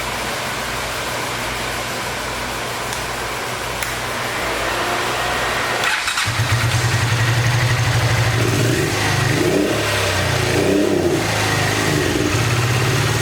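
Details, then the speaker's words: 1986 Honda VT500 Shadow V-twin, long-stored: rough, stumbling revving with the rear cylinder dropping in and out; owner believes water building up in the airbox is shorting the rear plug, which brake cleaner dries temporarily, and rusty water is pushing from the radiator cap. "that's why i don't want to pick up on this rear cylinder because the water is shortening the plug out"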